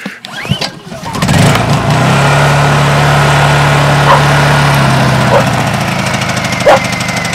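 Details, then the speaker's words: 2010 Honda EU2000i 2000 W inverter generator started on choke: a couple of pulls, then it catches and settles into a smooth, even idle with no knocks. Healthy start; it is used to charge the solar backup batteries. "there she is that's what I used to charge my batteries up with"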